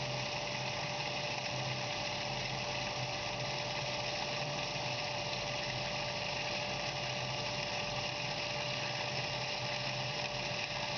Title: Cavitation Dans une pompe